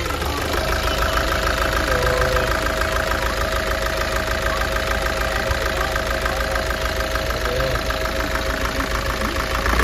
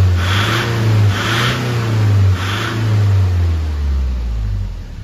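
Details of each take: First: Nissan Urvan Estate ZD30 diesel with no check engine light or fault codes: loose, uneven knock and shake at idle from misfire; smokes with diesel smell, vibrates on light throttle, shudders at shutoff. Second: Nissan Urvan Estate ZD30 E25 diesel that was smoky and shaking, at idle after cleaning oil from the intake: steady deep rumble with slight roughness; injection pump not faulty, oil suspected from the breather and from diesel entering the engine oil.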